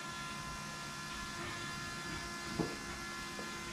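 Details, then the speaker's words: Shelby Cobra replica with a 2003 Mustang GT 4.6 V8, after fixing poor fuel flow from the tank, key-on from zero pressure: the electric pump hums and whines immediately and holds steady, reaching 10 psi. Normal priming. "i'm just gonna turn the key on and see how fast i can hear the pump pumping [Music] oh it's immediate now"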